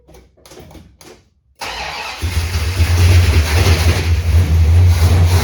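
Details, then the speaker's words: 1969 Dodge Super Bee 440 Six Pack; earlier it only clicked because of a dead battery. Fuel was poured into the carburetors and the choke left alone. Brief quiet clicks, a short crank, then it catches at once into a strong, even low idle. "as usual it starts right away that's what happens when you spend a lot of money to actually start"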